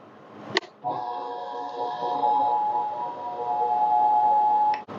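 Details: Grandfather's 1920 Burke No. 22 drill press after spindle rebuild, spun with jam nut fitted; smooth steady whir, clean constant tone, no rumble or grinding, spindle bearings sound healthy.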